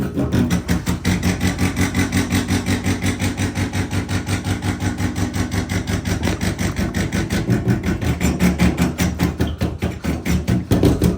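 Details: Bathroom sink and toilet supply pipes at about 60 psi: rapid steady knocking, nearly three bangs a second, while water runs, water hammer shock wave reverberating through the pipes.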